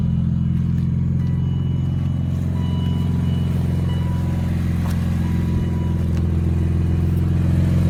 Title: E46 m3 section 1 exhaust leak?